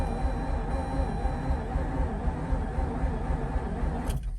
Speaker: what i mean is it's turning over like fast it wasn't doing that before so that's kind of cool maybe it's getting some lubrication from the fuel i don't know